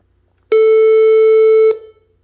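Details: HP all-in-one computer at power-on: steady mid-pitched beep of just over a second, part of a three long, four short beep code; traced to the power supply.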